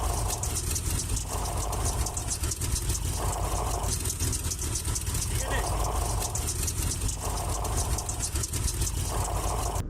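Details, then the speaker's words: Idling car with a pulsing mid-pitched whir heard when the clutch pedal is pressed: a worn clutch release bearing, damaged by vibration from uneven pressure as the clutch fingers wear. "Con el tiempo y con el uso, estas lengüetas se desgastan haciendo que la presión no sea uniforme y esto deriva a vibración en el propio rodamiento y que se dañe prematuramente. Si está dañado, se puede escuchar al pisar el clutch. Se escucha algo así."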